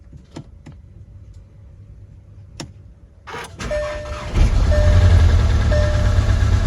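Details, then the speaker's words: VW GTI during rebuild, first start in about 3 months after fluid changes: starter churns, engine catches into uneven, lumpy surging idle, running terrible with many error codes; cause unknown. "never mind. Not dead. Not dead. It's running terrible for a second there. Got a lot of errors."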